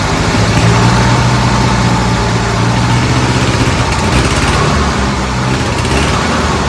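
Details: Old Bobcat 610 skid steer, Wisconsin petrol engine, after freeing a stuck exhaust valve and sealing with grey silicone: fired up and idled a while, running pretty good; even steady drone with slight rev lift, starting to rev up. Normal running.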